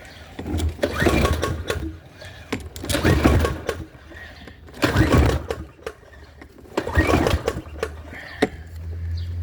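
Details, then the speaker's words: PowerSmart 170cc lawn mower from a flooded basement, new spark plug, primer pressed, old fuel still in: pull-start tugs with solid compression chuffs but no firing; no start with compression, fuel system next. "So as you can see, it sounds like we got some compression. So I'm assuming we got spark with that new spark plug."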